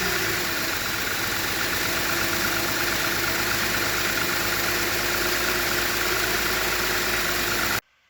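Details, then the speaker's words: 2010 Lexus IS250 after AC compressor locked up and threw the serpentine belt, now on a shorter 7-rib 58-inch belt bypassing the compressor: even, steady idle with a smooth rhythmic purr, no belt squeal or chirp. Normal idle. "i got the new belt shorter belt on here to uh bypass the ac compressor and we're gonna start her up and see see if it worked"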